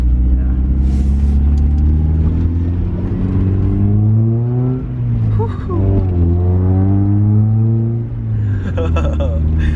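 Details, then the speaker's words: 1995 Mazda Miata 1.8L with newly installed ISR Performance exhaust, rattle from loose O2 sensor plug fixed, small exhaust leak remaining: deep exhaust note climbs and falls smoothly with each rev, no rattle or buzz; normal exhaust note when revving. "sound so much better we're gonna go ticket for right now oh that sounds so much better"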